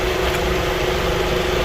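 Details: 2004/2005 Toyota Camry after no-crank, no-start repair: steady, even idle with a smooth low hum and no knocks, misses or ticks; engine healthy, normal idle.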